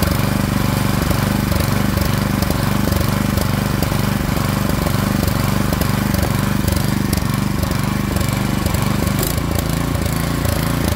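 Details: Craftsman snowblower (model 247.889571) with a 179cc single-cylinder engine, after the throttle slide stop was backed off to raise RPM: a loud, steady fast run with an even exhaust beat, pulling cleanly. Normal running at raised engine speed.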